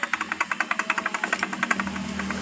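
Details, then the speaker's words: Yamaha Mio Sporty carbureted scooter, oil drain strainer rarely cleaned so clogged oil starved the engine: at idle a hard rapid knock about eight per second, fading smoother; rough noise from the connecting rod, needing engine rebuild. "suara kasar seperti ini ketika langsat lanjut saja kita masih membuka di bagian dari pengantar stater yang ada di sini"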